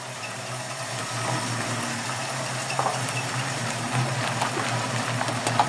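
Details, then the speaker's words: 1969 Mustang V8 at idle after a new dual exhaust replaced straight headers: steady, even low rumble with no knocks or exhaust ticking, now quiet and well sealed; normal idle. "Sounds a lot better. Yeah. Yeah, you can hear yourself think in the car now."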